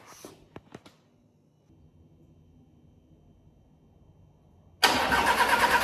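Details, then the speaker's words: Crash-damaged Audi A4 TFSI 35 with a replacement engine, first crank with coil packs disconnected: clicks, then brisk even cranking without firing or grinding, with 30-second starter cool-downs while building oil pressure; no fuel or oil leaks. "I'm just cranking it, and I'm going to give it a 30 seconds between cranks to let the starter motor cool down, and I'm going to keep going through the cycles to try and build up that oil pressure. But yeah, really happy it's cranking."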